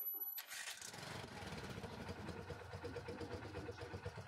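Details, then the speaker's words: TVS King starter after a stuck Bendix drive was freed and its spring refitted, starter motor, brushes and armature fine: short smooth crank, engine catches, no grinding or screech; starter noise gone. "wala na pong ingay yung starter natin mga boss Idol"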